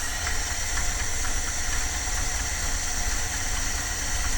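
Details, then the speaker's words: 1978 Dodge van engine at idle: fast, sharp ticking puff in time with the engine over the rumble; exhaust manifold leak, manifold gasket to be replaced. "i think i'm going to do this side i can i can hear that exhaust over here"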